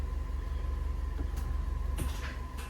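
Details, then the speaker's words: Fiat 500 Sport automatic after gear actuator position learning and clutch bleed: even low idle with soft clicks as actuator selects first, reverse and neutral, occasional actuator pump circulating; gear selection currently working normally. "So it does seem like at the minute it's working correctly and how it should do. And every now and then you just get that pump, which is the pump circulating on the actuator."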